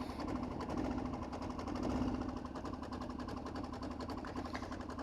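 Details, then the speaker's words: Diesel Kawasaki KLR motorcycle at idle: a quick, busy clatter of ticks over a low rumble. This is the normal sound of a small diesel, though it would signal a problem on a non-diesel bike. "now if this was if your bike is not a diesel and it sounds like this you got a problem you need to take that and get fixed"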